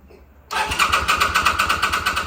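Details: 2005 Kawasaki VN800C, about 130,000 km, off the road since about 2015 and pulled from storage: starter cranks in even pulses about eight a second for two seconds without catching, on a recharged battery and fresh petrol; slow to fire.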